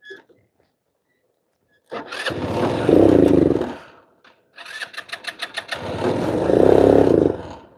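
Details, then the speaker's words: Scooter with low fuel: two cranking bursts of about two seconds each, starter spins the engine but it never fires. "Crap. Of course, now it's not going to start right when my phone's going to die."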